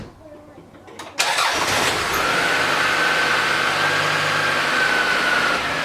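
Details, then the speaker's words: 1993 Toyota Camry 5S-FE daily driver: cranks, catches and settles into an uneven, lumpy idle after the rough idle suddenly began at a stoplight; ignition suspected, and one spark plug's insulator appears broken. "I stop at a stoplight and all of a sudden a flip of a switch, the engine starts doing a rough idle on me like it's gonna die, right?"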